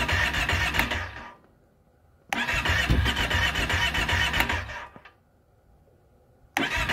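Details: 2012 Kawasaki Brute Force 650i, cranked with choke open after trying choke closed. Two-second bursts of steady starter cranking at about four beats a second with silent pauses between; the engine never fires.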